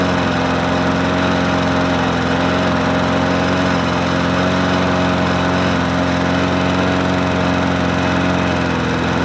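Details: Murray 20-inch 4.0 HP push mower (20415x8D), a found mower, primed and started on a cold 53°F day: steady, even small-engine drone with no hunting or surging, holding speed cleanly throughout; running healthy.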